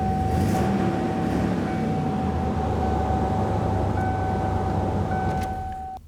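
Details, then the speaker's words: 1994 Ford E150 Econoline V8 idling after repair: deep, even rumble with no belt squeal; a leaking heater hose connection with bad O-rings had sprayed coolant on the belt, fixed along with a new belt. "that took care of our coolant leak we also took care of our squealing noise on the belt it really didn't need anything else"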